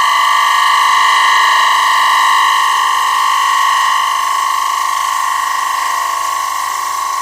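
A steady, even singing tone from the gouge on the spinning wood, with no rattle or chatter; a clean, light cut.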